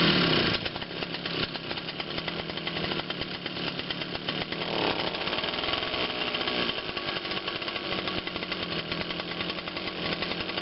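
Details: Quattro 52cc two-stroke gas engine, hand-started after a firm, hard pull: high, buzzy drone holding a steady pitch after it catches; clean, healthy running.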